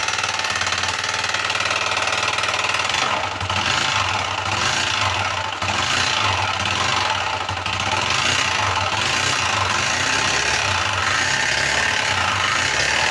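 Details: Motorcycle at idle with engine noise: irregular metallic tapping about four times a second over the steady idle; internal knock, source not yet pinned down.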